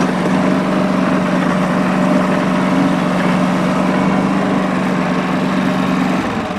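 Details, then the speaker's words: Late-model John Deere 445 garden tractor, 2500 hours, warm start on three-year-old gas: smooth, steady even drone, no stumbling or knocking; no exhaust smoke, doesn't burn oil, runs well. "now I'll start it up and show you guys the operation so warm start [Applause] not a single trace of smoke out of that exhaust pipe"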